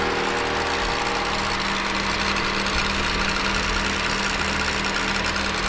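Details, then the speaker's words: VW Transporter T6 diesel, first start after repairing damaged engine-bay cables: loud, busy idle with a rough, heavy knocking undertone that does not let up; owner suspects the knock comes from the gearbox, source not confirmed. "yeah that sounds very loud but we are running here I think there's a real bad knocking"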